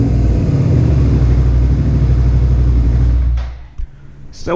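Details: Suzuki SV650S V-twin idling after carburetor synchronization: a low, even thump with a steady beat and no hunting or stumble before it shuts off. The carbs are judged synchronized enough and balanced.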